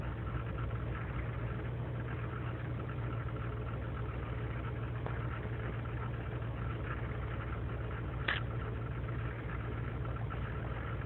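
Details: 2003 GMC Sierra Z71 5.3L V8 (non-flex fuel) cold idle without throttle after overnight in single-digit temperatures: loping stumbling beat with missed pulses; lean and misfire codes, owner suspects intake gasket vacuum leak; fine once warm.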